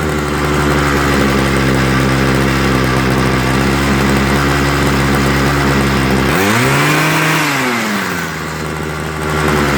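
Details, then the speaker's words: Homelite 26 cc two-stroke hedge trimmer after carburetor and fuel line service, warmed up, needle valves opened a little more: steady even buzz at high idle that dips and swings back up cleanly. Running stable and smooth. "okay guys that sounds a little bit more stable see notice it changed and then i had to open up the needle valves a little bit more"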